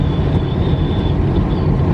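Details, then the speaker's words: Western Star truck at highway speed on Trans Canada 1: heavy low road and engine roar with a thin steady whistle near four kilohertz; wind whistle suspected from the mirrors, exact part unknown. "do you guys hear that whistling remember I was telling you like a week ago that this truck's got whistling mirrors"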